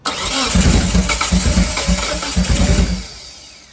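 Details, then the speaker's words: 1997 Eclipse GSX with fuel pressure, cranked during a spark test on cylinder 2: starter cranks about three and a half beats a second with an uneven, lumpy rhythm and no firing; cylinder 2 seems to have no spark. "All right, so cylinder number 2 seems to not have spark."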